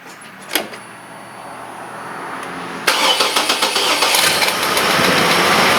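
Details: 2006 GMC Envoy/TrailBlazer 4200 I6, after water pump and thermostat replacement and coolant refill: quiet, then the starter catches and the engine settles into a smooth, steady idle with no knocks or squeals.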